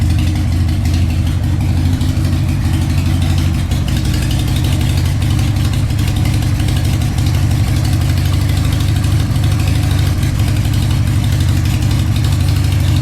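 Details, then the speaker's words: 2003 Harley-Davidson Sportster 1200 after CV carburetor teardown, cleaning and reinstall, no leaks: deep, even V-twin lope with a steady beat and no stumbling or popping, engine still a little too cold. Normal idle. "Yeah, it's idling good. Sounds good. Still a little too cold."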